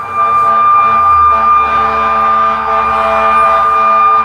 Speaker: definitely a fire truck. Guaranteed they're heading north. They are heading north. There they go.